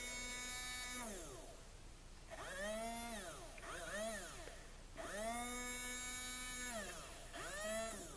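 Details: Small electric motor from a HiT Toys TrackMaster Percy, powered directly at contacts before cleaning: thin whine surges, sags and cuts out, restarting unevenly every couple of seconds; intermittent hesitation, cause unknown.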